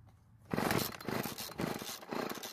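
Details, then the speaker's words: Stihl FS36 trimmer out of storage, after priming: two-stroke sputters in uneven bursts and keeps dying at idle, too lean; L screw turned counterclockwise half a turn fixes it: stalling lean idle. "it keeps dying so it seems to need a little bit more fuel to stay idling"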